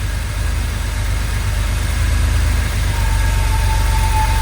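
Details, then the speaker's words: 1982 Porsche 911SC Slantnose, sitting 20+ years, after CIS fuel distributor cleaning, new spark plugs and fuel filter: steady, even low idle with a smooth rumble and no knocks or misses. Running well but smoking, likely burning oil. "This thing sounds so good. Sheesh. Looks like we're burning some oil, which is common."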